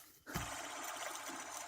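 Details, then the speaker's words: 1993 Lexus LS400 1UZ-FE with serpentine belt removed: the idler pulley spun by hand gives a dry gritty whir instead of a smooth spin, found noisy from a worn bearing. "first thing i noticed here is this idler pulley here that shed some light on that and you can hear not sure if you can hear it"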